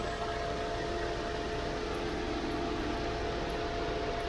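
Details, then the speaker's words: Wuling car after tune-up, at home: steady even whoosh from the extra radiator fan over a smooth idle, no flutter; the helicopter-like fan noise is now normal and power is back, though a whine around 3000 rpm remains. "extra fan yang kayak helikopter udah normal."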